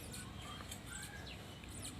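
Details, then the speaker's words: Pickup truck, noise under the car when pulling away in first gear: sharp high chirping squeaks as the cross universal joint is turned by hand; dry grease, joint bearings starting to fail. "ครับมันฝืดครับเนี่ยอาการแบบนี้คือยอยมันเริ่มตายนะครับมันไม่มีจะรบีหล่อเลี้ยงแล้วมันก็จะได้ครับ"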